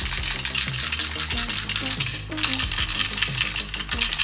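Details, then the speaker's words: Transmitter of a 1:16 4WD RC pickup truck whose steering doesn't respond; quick dry clicking rattle when the remote is shaken, a broken piece loose inside, likely cause of the fault. "в моем случае при встряхивании пульта явно слышно что внутри болтается какая-то деталь очевидно что это и может являться причиной дефекта"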